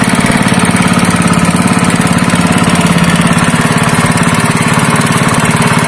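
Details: Honda GX160 5.5 hp single-cylinder engine, previously pulling as if it had no compression, runs after a valve clearance adjustment (IN 0.15 mm, EX 0.20 mm): a steady, even beat with a quick regular pulse and no tapping or missing, valves sound right.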